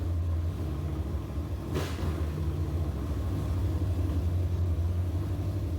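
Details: Big-block Chevy 402 V8 truck, first start after work, 60 psi oil pressure: deep, lumpy, lazy rumble with an uneven beat; the timing is still too retarded even after moving the plug wires, so the distributor needs advancing slightly.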